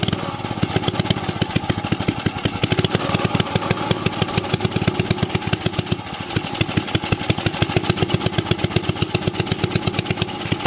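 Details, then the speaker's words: Old 2 HP Briggs & Stratton single-cylinder engine, already run earlier so started without choke. Crisp, even firing pulses at a steady fast idle, no misses or knocks. Normal running. "Here we go, we'll fire it up. Shouldn't have to choke it, I done had it ran earlier."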